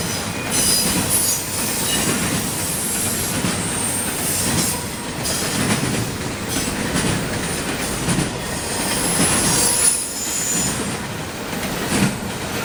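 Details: CSX intermodal train passing in Georgia: a loud, high screeching rises and fades over the rolling rumble and wheel clacks as the cars pass; wheels squealing on the rail.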